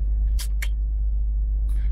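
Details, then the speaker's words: Jeep Cherokee XJ starting on a newly reprogrammed Strike key (DRB3): security light off, deep smooth idle holds steady without stumbling or cutting out, a couple of light clicks nearby; the engine runs fine. "Donc logiquement, le Jeep devrait démarrer sans problème et ne pas se couper. Ben écoutez, ça fonctionne. Excellent, ça fonctionne."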